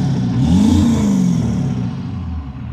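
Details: 7.3 PowerStroke diesel with blue smoke, short rev rising then falling off with an irregular stumble in the beat as it climbs: misfire under acceleration; cause suspected, not confirmed.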